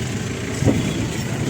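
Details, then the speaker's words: Maruti Super Carry running on CNG after gas ECM repair: steady, even engine hum with no stumbling or shaking; earlier misfires (P0300, P0301, P0303, P0304), hesitation and vibration are gone, engine runs normally. "नहीं ऐसी कोई समस्या नहीं है आराम से चल रही है गाड़ी बिल्कुल कंफर्टेबल है वाइब्रेशन वगैरह सब खत्म है गाड़ी में बढ़िया रिस्पांस है"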